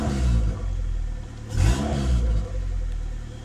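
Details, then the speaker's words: Honda engine with a Skunk2 intake manifold and stock throttle body on E85, after fixing a high idle: low idle around 1000 rpm, one quick throttle blip, then a prompt return to steady idle. The owner suspects the IACV was leaking past its gasket. "oh nice notice how now it drops down really fast hold on let me get a little situated under here I'm gonna tap the gas and it comes on really quick"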